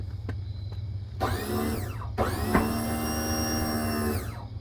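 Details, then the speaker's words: 2004 Country Coach HWH slide retracting fully after adjustment to stop dragging and hooking: steady electric motor whine in two smooth runs with a brief pause, no scraping or binding; now clears with a good gap. "okay little more oh it it retracted finally huh ain't that funny"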